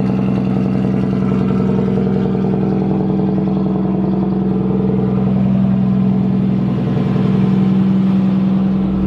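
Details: Nissan S13 engine at start-up, intake air temp reading 20°C: steady, even idle with a smooth low drone and a clean rise in pitch on a blip, no ticks or misses, running healthy.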